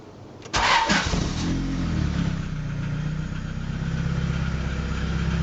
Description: B20A forged internals. Piston slap on cold start.